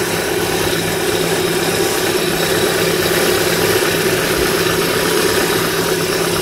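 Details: Idle after replacing an old, long-creaking belt tensioner: even hum with a steady light whir from the belt drive and no creak or squeal; running normally.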